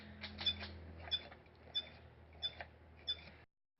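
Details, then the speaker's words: Electric Eel Wheel 5 spinning wheel just turning: squeaky chirps and scratchy clicks repeat about every two-thirds of a second; failed drive motor, fixed by motor replacement. "so here's a video a user sent in of a motor that has failed okay this is the noise it makes when it's just turning"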